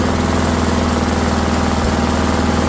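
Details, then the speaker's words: Rally lawnmower engine just started after repair: steady, even drone with constant pitch, little vibration, no knocks or surging; running normally but a little fast before idle adjustment. "actually doesn't vibrate much at all. Sounds like it's running a little fast."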